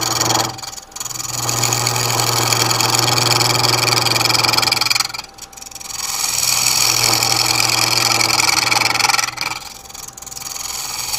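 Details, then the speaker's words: Woodturning a long-stem Ambrosia Maple goblet on a lathe with a carbide tool: each cutting pass gives a buzzy, chattering rasp over the steady motor hum as the far-extended blank vibrates. "still with a carbide tool just because it's convenient handy it's already set up for it and you can hear the vibration from being so far extended"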